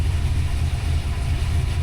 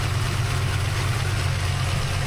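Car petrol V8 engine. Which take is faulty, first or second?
first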